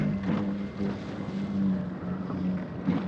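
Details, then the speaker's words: Foil Drive motor on a foil board, running at low throttle while cruising: soft, steady low hum under wind and water splash, no whine or roughness; normal low-throttle running. "Also, when you're running at a lower throttle, just nice and cruisy, it's way easier to move your feet around."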